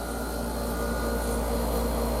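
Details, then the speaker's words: Garage mini-split outdoor unit hung on a wall bracket on a non-concrete wall. A constant deep low-frequency drone under a faint airy rush as compressor vibration shakes the wall; it needs isolating from the building: outdoor unit vibration transmitted to wall. "You hear that low frequency hum? It's shaking the wall. So, this should only be done on a concrete block wall."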